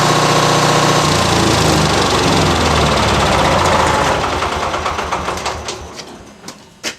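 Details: Generator; steady fast two-stroke beat that fades, slows and dies with a few last coughs; generator stalls, cause unknown.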